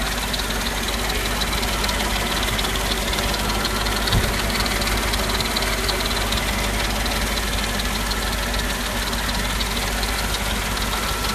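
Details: Naturally aspirated Mercedes-Benz G55 AMG V8 at idle: light, steady ticking from the engine bay, about three per second; it continues with the serpentine belt removed, so the water pump is ruled out.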